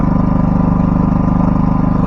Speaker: If it doesn't start the first time, you press on again. Now it's idling low.